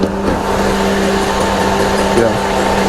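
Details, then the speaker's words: 2015 Mercedes-Benz GLK idling, heard with hood open, loud even from inside with door open: a steady rushing airplane-like roar with a constant hum; cooling fan running on high, cause suspected in the temperature sensor, not confirmed. "well even if I go out of the car just opening the door I can hear loud noise so I'm just gonna go into the hood and see"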